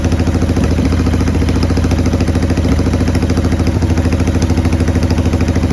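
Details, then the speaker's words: 1990 Harley-Davidson Sportster 883 restoration project, first start: lumpy, uneven idle with occasional stumbles; runs rough; owner suspects intake leak, as one plug read lean and one rich. "Well, she runs, but she don't done good."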